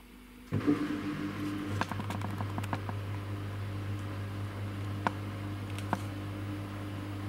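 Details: Samsung WW10N645RBW washing machine: steady low spin hum with only a few light taps, no rhythmic thumping or shaking; rated 73 dB spinning; smooth, even normal spin.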